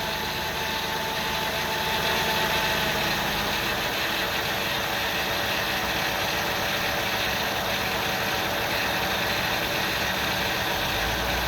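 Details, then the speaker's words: 2000 Ford Windstar SEL 3.8 V6, 204,000 miles, engine and heads redone: uneven, shaky rough idle around 900 rpm with AC off. It vibrates heavily and worsens with throttle, with no misfires on the scope and no vacuum leaks found; EGR cleaning previously cured it. "i don't know if it's visible yet but it's vibrating quite quite heavily here one flight throttle [Music] and it just gets progressively worse"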